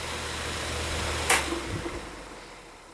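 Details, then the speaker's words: Vintage 12-inch Windmere oscillating fan: steady airy whir with a dry rough hum and one hollow knock. The motor bearings are running dry and it needs oil. Blades may need tightening, grille tension is suspected, and the oscillator turns without oscillating. "so something's a little bit messed up on this now more maybe more than a little bit I know that the uh Grille your tensions a little bit yeah because it shouldn't make that noise"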